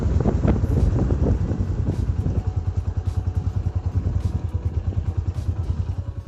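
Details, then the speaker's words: Motorcycle drum brake after cleaning, lubricating springs and greasing the axle: wheel spins down with soft, even ticks slowing as it coasts, no squeal or scraping; drum brake now quiet. "लुट हां तू तो simple सा cleaning professor और उसके बाद अभी breaking आवाज खत्म हो जाएगी"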